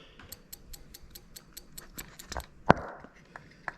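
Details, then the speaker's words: Ignition coil 1 pulsed from an ECUMaster Black ECU output test, coil pulled up: crisp, even ticks about five a second over a quiet room; the coil fires on each pulse. "Okay, and I'm going to hit test again. You can definitely hear that's working there, so that's nice and loud."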